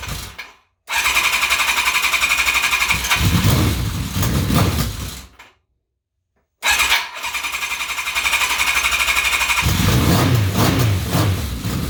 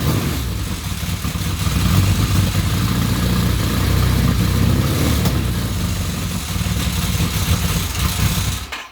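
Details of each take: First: Kawasaki KZ1000P motorcycle after starter rebuild, following a Dyna pulsar ignition install: two bursts of quick, even cranking at about four turns a second, smooth whirring with no grinding; the starter spins the engine cleanly. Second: Kawasaki KZ1000P Custom after a starter rebuild, with a newly installed Dyna pulser ignition: deep, lumpy idle with an uneven, stumbling beat that never settles. Rough idle; owner says the pulser timing and the idle still need adjusting.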